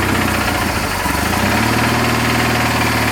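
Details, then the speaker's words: Engine finally started after long cranking on a cold day, still cold so not throttled up; owner suspected no spark: uneven lumpy beat about 3.5 pulses a second that stumbles and won't settle; running rough. "That took a while. Running good for a little bit. Started acting up, though."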